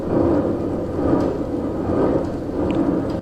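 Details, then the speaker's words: Trailer wheel spun by hand: coarse gravelly grinding, a worn-out wheel bearing, needing replacement. "here's an example of what you really don't want to hear when you're checking your bearings unfortunately i believe that is all bearing movement"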